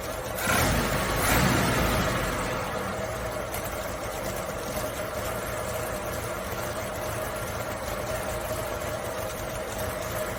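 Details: Suzuki Samurai carbureted engine started later in the day after a couple of throttle pumps; rough burst on starting then settles into a steady, even idle without knocks or stumbles, normal idle.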